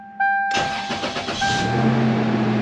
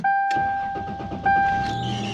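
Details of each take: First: 1999 Toyota Tacoma 3.4L V6 after replacing AC idler pulley and all three belts, previously squealed at startup: starter cranks about a second, engine catches into steady fast idle with no belt squeal; normal cold start. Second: 1999 Toyota Tacoma 3.4L V6, all three belts already replaced: steady high-pitched squeal as the engine starts, fading soon after, from a failing AC idler pulley. Belt squeal at startup.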